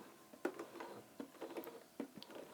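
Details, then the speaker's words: Vintage Bernina 1230 sewing machine after removing lint from bobbin area, hand wheel turned then foot pedal: only soft light needle and hook ticks, rubbing noise gone, smooth purr; back to normal, before oiling. "no sound. It is right back to normal. If I put my foot down, smooth purr. That's the way I want the machine to sound."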